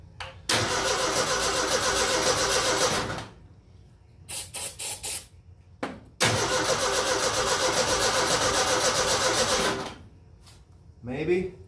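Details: 1957 Willys after new points and condenser install: two long cranking runs, steady chug near four beats a second, no cough or catch; engine turns but won't fire, fuel pump heard; owner suspects new-part failure and a wiring issue.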